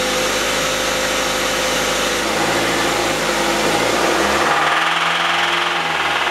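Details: Engine knocking in a closed garage after ticking began accelerating to 60 and it was driven about 6 more miles; loose, uneven deep bottom-end knock, owner suspects an overheated, loose rod bearing.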